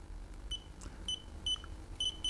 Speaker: Throughout this entire video, you have been hearing the beeps from the Speedlite.